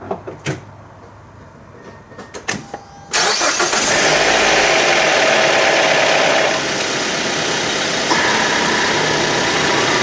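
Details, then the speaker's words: Car started right after an oil and filter change. A quick start with a brief diesel-like clatter as it catches, then a smooth steady idle. This is the oil pump purging air after the oil change, a normal brief startup rattle. "Now that diesel sound that you just heard was the oil pump purging the air that was introduced to that portion of the system. A lot of cars are going to make that noise when you change the oil. It's not a big deal."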